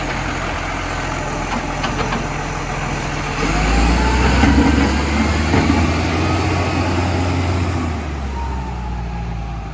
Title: Brisbane Waste BSW733 Exhaust Leak